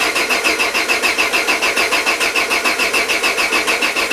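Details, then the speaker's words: Peugeot 205 with Solex carburettor just refitted: steady starter cranking at about three and a half beats a second, never firing; a huge intake air leak stops it firing. "mouais insistez insisté ça ne démarre pas et on commence à sentir que la batterie faiblit"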